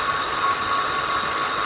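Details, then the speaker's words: 2007 Ford Explorer XLT, 4.6L 3-valve V8, about 110k miles, engine running: a steady, piercing high-pitched whine, abnormal for this car, that rose with rpm. The lower grooved idler pulley was wobbling slightly and its worn bearing was the serpentine belt noise source. "on the audio, but here standing next to this definite whine that's not normal for this car."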